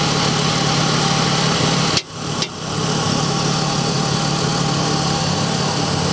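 Cold idle with a steady ticking knock around four per second over the engine note; cause not yet identified.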